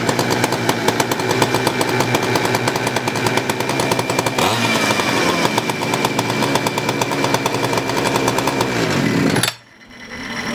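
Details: Poulan Counter Vibe 4200 chainsaw after fuel line replacement, carb replacement, a cleaned tank and a new gas cap seal: it fires and holds a strong, even, high-pitched buzz with steady revs, then shuts off cleanly; running normally.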